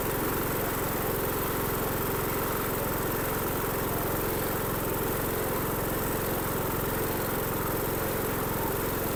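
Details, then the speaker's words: Dixon 2042 riding mower, 20 hp engine, 42 in cut, after clearing dirt from the carburetor main jet that had caused a no-start, with a new fuel filter fitted: steady, even single-cylinder chug with no misses or surging, a clean, normal idle. "oh that's all I was wrong with it just must been a little piece of dirt that got in that Main Jet so that's good"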